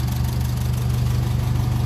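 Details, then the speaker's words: 1957 Ferguson 35 TVO tractor, warm after about 10 minutes running, idling just below 800 rpm, temperature up, oil pressure and charging light good: deep, steady low thrum, no knocks or misses; normal warm idle. "we're up the temperature oil pressure is good it's been running about 10 minutes we're sitting there just below 800 and our charging lighters exactly the way it's meant to be"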